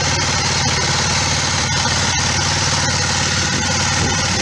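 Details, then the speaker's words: Kawasaki ER5 motorcycle twin, idling after a roadside oil and filter, air filter and spark plug service, warming up: an even, steady idle with a regular low pulse and no knocks or misses, so it is running as it should. "so Joe car I think she sounds like she's running as she should"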